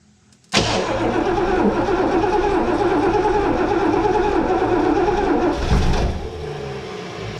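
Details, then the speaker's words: 1971 Lincoln Mark III barn find on old gas, fuel line reconnected after the tank pump began delivering fuel: the starter cranks steadily with uneven puffs of firing that never catch, then trails off; it cranks and fires but won't start. "Alright, so let's try this again. It wanted to fire. We got the key on."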